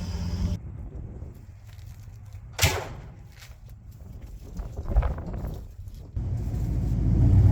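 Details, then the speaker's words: 1972 Ford F750 "Super Pickup" truck V8 running after carburetor tune-up set for highest vacuum with hood shut and engine hot; deep, even rumble with steady firing, no knocks or misfires, noticeably quieter now it is efficient and fueled correctly; normal running. "one thing you'll notice here about this truck is it's got gotten a lot quieter and that's one sad thing about getting old school Vehicles tuned in pretty decent is actually when everything's really efficient and firing when it should and being fueled correctly um you know it quiets down as you can see here"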